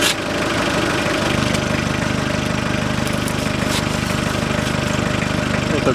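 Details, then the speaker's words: Hyundai Porter 2006, 2.5 turbodiesel, 170,000 km, air filter housing with the rubber valve missing; quiet idle turns into a deeper throaty growl, louder with throttle, like a blown muffler: air intake leak, before housing replacement. "звук появляется а если добавить газа звук немножко увеличивается здесь стоит резиновый клапан он оторвался потерялся на автомобиле"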